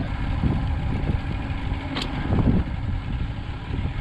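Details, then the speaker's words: 1982 Glasstream Angler bass boat with Chrysler 100hp outboard after about 10-mile first trip: rough, lumpy idle with misses, feels like running on two cylinders below two-thirds throttle, though shifting fine. "unfortunately it seems to be running a little bit rough i feel like it's running only two cylinders unless some maybe uh two-thirds throttle or more"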